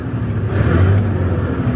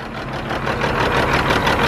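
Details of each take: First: Caterpillar C15 diesel truck, owner sure it has a blown head gasket, after injector cleaning. Warmed up and revved to about 1,700 rpm, it gives a deep, steady drone with no shake, rattle or knock: normal revving. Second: Caterpillar C15 diesel truck with suspected blown head gasket and four dead injectors per scan tool: uneven, lumpy idle with irregular pulses and clatter; rough running from clogged injectors, being flushed by blocking the return line.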